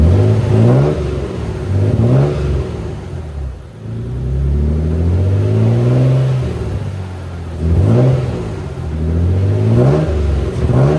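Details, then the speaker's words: Dusty Nissan 300ZX (Z32) started after long sitting with another battery: good steady idle, but revs climb unevenly with slight stumble and shake on throttle blips; owner thinks it could just be from sitting so long. "all right guys it's still it's idling good but felt like it stumbled a little bit uh on acceleration when I was giving it throtle"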